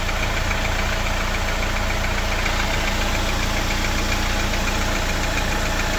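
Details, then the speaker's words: Jeep Wrangler JL 2.0 engine at cold idle, oil level checked at exactly half: light, regular ticking knock about three to four a second; gone when fully warm after about 15 km, cause not confirmed. "И сейчас этого звука нет. Вот сейчас мотор работает идеально. То есть на холодную он действительно постукивает."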